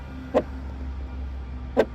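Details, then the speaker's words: BMW X2 SUV rear wiper before replacement, with the blade sun-aged and bent over from disuse. A sharp squawk sounds on each pass about 1.4 seconds apart over a quiet idle, loudest on the downward stroke as the blade edge digs into the glass. Fix: replace the blade. "这是因为向下刮的时候，这个雨刷的攻击角正好怼着这个玻璃，所以异响非常的大声。"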